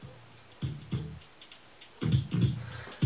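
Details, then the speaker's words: Panasonic RX-C100 boombox speaker after re-foaming and re-centering, playing music on line in: clean punchy drums and firm bass, no buzzing or scraping that earlier seemed to come from the voice coil rubbing on the magnet; normal playback. "but now you cannot hear any love singing or anything like that like all you get is sound you're actually supposed to hear that sounds amazing"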